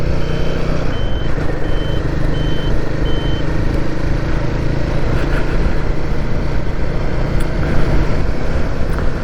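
Five evenly spaced high beeps over about three seconds ride above the engine and road rumble; the indicator buzzer is sounding normally.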